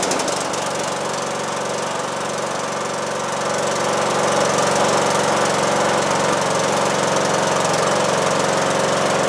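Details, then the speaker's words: John Deere D110 lawn tractor after engine swap, first start: single-cylinder catches and settles into a steady, even beat that builds slightly and holds smooth with no knocks, faint valve noise noted; normal running. "Well, it's been running for about 10 minutes, and I'm very happy about this. Gave us a little puff of smoke at startup, but it's not smoking now. I'm really pleased. The engine sounds good."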